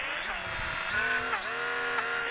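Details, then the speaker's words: Eachine Mini Mustang P51D RC plane in flight after desert flying: loud, shrill whine that dips and climbs with throttle, with power loss; owner suspects dirt and sand in the gearbox, or the motor, is failing. "i think either the motor or the gearbox is about ready to to quit on this plane i'm getting some really high-pitched squeals out of it when i'm flying it loses power but let's get it in here"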